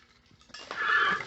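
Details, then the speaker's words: Torque converter turned slowly by hand while still in the transmission, from a truck with a power adder and no anti-balloon plate: a loose, tumbling clatter like marbles inside. Internals destroyed, torque converter internal damage. "I've got like a little 20-second clip of it. It sounds like it's full of marbles."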